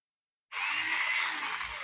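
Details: Small brushed RC car motor (Revell Lion) after refitting brushes on the previous burnt-out motor, spinning up instantly to a steady high-pitched whir without needing a twist-start.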